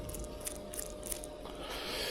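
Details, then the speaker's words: Worn belt tensioner pulley bearing, removed during repair, that was chewing up the belt: quiet, gritty rattle with light clicks as the pulley spins. "that's it that's out that was making a bit of an Ratt and it was quite can hear the bearing"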